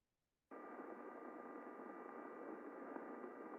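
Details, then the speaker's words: First chain of a multi-chain drive, heard with an airborne ultrasound sensor held close to the sprockets. A very quiet, steady, even hiss with a smooth waveform and no sign of under-lubrication: normal chain running. "Very, very quiet. And we can see from the waveform, it's pretty smooth. No real evidence of under lubrication, no additional noise being generated, exactly what we would hope to see."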